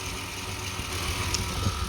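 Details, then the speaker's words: 2008 Pontiac Torrent idling after corroded battery cable ends, suspected of causing voltage drops and the no-start, were replaced: a steady even low rumble with no misses, knocks or stumbles, a healthy idle. "But now it's got new ones on it, and you can hear it sitting here running."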